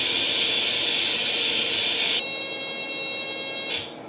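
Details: Atari 800 XL after a RAM-chip transplant fixing a 5V-GND short, loading from the cassette drive after pressing Option: steady hiss, then a clear buzzy high data tone for about 1.5 seconds, then the cassette motor stops at the found program name; normal tape loading.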